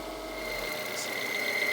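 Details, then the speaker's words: Barn-find 1990s Nissan Primera GT, SR20 engine, idling after storage with the alternator warning light on: steady high-pitched squeal over a smooth idle, coming from down at the old drive belt by the old alternator; belt not slipping. "I think that's the alternator I was going to say it's coming from down where the belt is"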